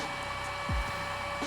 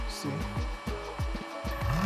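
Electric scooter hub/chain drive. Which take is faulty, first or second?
second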